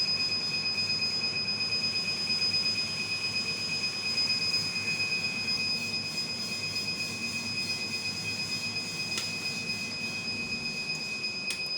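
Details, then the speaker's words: Rack-mount 2000 W 48 V low-frequency off-grid inverter UPS without MPPT, pre-shipment load test at 2300–2500 W: steady shrill alarm over constant fan hiss. Overload protection switches the inverter off, and it restarts after a few seconds. "Inverter proteksi off ya karena ada kelebihan beban, dan setelah beberapa detik inverter akan hidup kembali."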